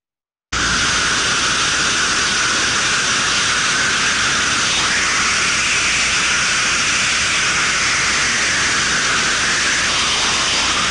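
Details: Thermodynamic disc steam trap via ultrasonic detector: constant, unbroken hiss with no rise and fall of the cycling disc; worn disc lets steam blow straight through.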